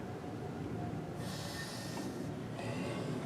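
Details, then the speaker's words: 1970 Mopar Superbird brake booster after rebuild, engine off, check valve one-way: two soft airy hisses about a second long as the pedal rod is pushed. The booster holds its vacuum reserve and is working fine. "Make sure that the booster's holding some vacuum. So that if you're cruising down the highway, motor shuts off, run out of gas or something crazy, you want to have some vacuum reserve in the can so that you can do an emergency stop, bring the vehicle to a rest."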